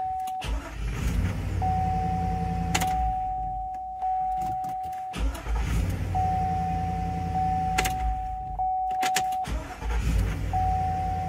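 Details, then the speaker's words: 2004 Cadillac Escalade 6.0 V8 after starter motor replacement: starter cranks briefly, then catches and settles into a steady even idle with no grinding; confirmed fix, normal start and idle. "all right well there we go that is a confirmed fix"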